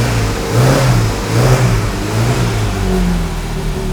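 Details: Classic Mini Cooper S race engine, freshly fitted and cold, on HS4 carbs with no choke and oil pressure over 100: each blip stumbles a little before the revs climb. The hesitation comes from the carb needles still being too lean.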